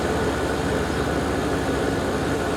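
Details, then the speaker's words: Garage A/C compressor at its first start-up of the season, old compressor capacitor seemingly still holding and started right up without issue, 107° reading vs 86° in the house: steady low hum, even fan rush, no clicks or stutter, normal running. "the compressor capacitor seems to be holding on because it started right up without any issue"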